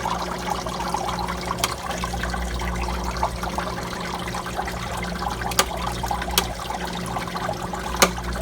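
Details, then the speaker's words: 2004 Manitowoc QY0604A ice machine after contactor replacement: steady trickling water over a low pump hum, with clicks as the water hits the probe; a normal water flow just before it goes into harvest. "Sounds like it's about to go into harvest. That's Poshua. There we go. Should be doing the harvest touch. That's the water hitting the probe."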